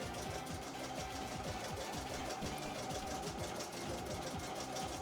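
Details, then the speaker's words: Embroidery machine being test-run before return to the customer. Steady, even needle chatter at roughly one stitch a second, with no knocks or grinding. Normal stitching. "should be able to hear it now should be all good you can you should be able to hear that machine chugging away there"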